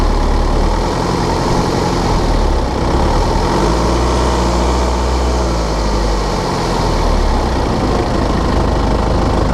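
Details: 2013 BMW 520d F10/F11, N47 diesel, cold under load at 1500 rpm: busy metallic rattling/ticking over a steady low drone. An injector fault was pinpointed with an ISTA test.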